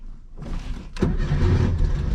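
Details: VW Bug, started after one throttle pump: short crank, catches at once and settles into a steady, even idle; starts and runs fine.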